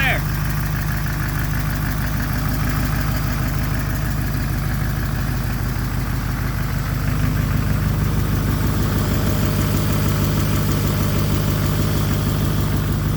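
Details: 2006 Chevrolet Silverado 6.6L Duramax diesel, Allison transmission, after replacing a cracked downpipe that caused boost loss and black smoke: steady, even diesel clatter at idle with a deep, smooth exhaust note, no misses or leaks; normal healthy idle.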